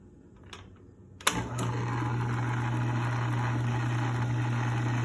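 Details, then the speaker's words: Logan lathe, after a new paddle safety switch and cord were fitted and the shaft was adjusted to ride fully in both bearings: a click, then the motor spins up to a steady, even hum with no knocks; it runs smooth, normal running. "runs smooth and safety feature. That's what I wanted."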